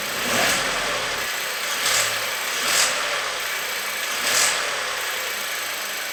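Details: VW up! 1.0 TSI engine running: a hissy rush rising every second or so as revs come up. Abnormal engine noise, source unclear.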